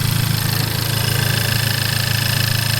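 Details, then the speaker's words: FK8 Civic Type R right after a PRL flex fuel kit install and Hondata tune flash: at idle a fast, light tick rides over the engine, louder than ever before, possibly something rubbing; cause not yet found. "Yeah, I don't know if you guys can hear that on video, but it's definitely like making a louder ticking sound than I've ever did before."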